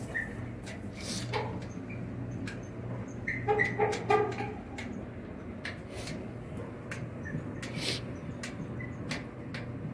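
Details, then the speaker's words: Clothes dryer after greasing in place of new felts, quieter than before but still noisy: steady low rumble with irregular knocks and thumps every few seconds from the worn drum; noise reportedly stops after running a while; replace drum or live with it. "Yeah, the drum is worn. Try again, hang on. So after it does it for a while, it stops."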